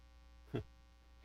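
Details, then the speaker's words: Live-stream workshop audio: steady low electrical hum under everything, with a couple of brief bumps. It persists after unplugging a Circuit Playground board, suggesting mains buzz, possibly a ground loop. "no i still hear that buzzing what has happened what changed"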